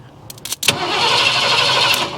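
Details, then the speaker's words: 1982 Ford F150 with a replaced starter solenoid: a couple of clicks, then the starter whirs steadily about a second and a half without firing while the key is off and out of the ignition; starter runs on from the faulty solenoid. "Yeah, the key is off and it'll just sit here and spin."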